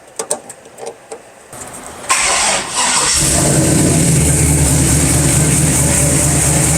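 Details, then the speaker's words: LS-swapped OBS pickup, 6.0L V8 with 4L60, started after repair of a suspected bottom-end noise, not a cracked flexplate: after a few clicks catches and settles into a smooth, steady idle with no bottom-end knock; noise fixed. "that took care of it I definitely took care of our our bottom end engine noise that we thought we might have"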